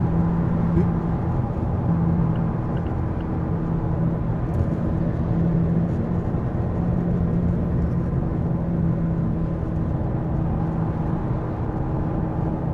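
A steady low drone sits under the road noise while driving and holds an even level; the source isn't clear from sound alone.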